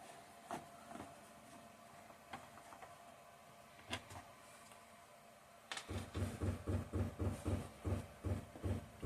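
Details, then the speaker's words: Recently installed workshop diesel heater shutting down; its fuel pump knocking, which slows once the heater is really going: steady low thumping pulses about once a second in a quiet room, normal dosing. "That knocking is the fuel pump on the heater. It slows down once it really gets once it starts really going. Then it slows down."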